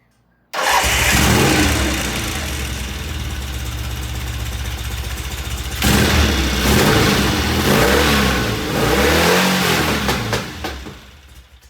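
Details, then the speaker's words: 1975 Norton twin-cylinder motorcycle idling with an even, steady thump, then a brief blip before settling; this is after the ignition rotor was turned slightly clockwise because timing was too far advanced, and before the carburettor idle mixtures are adjusted. "listen to how good that sounds at the idle and I haven't adjusted the carburetors yet well so to speak"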